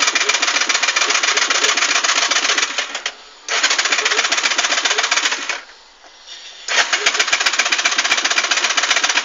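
Fast clicking in bursts of about three seconds with brief pauses, and the engine never turns over; the car will not start.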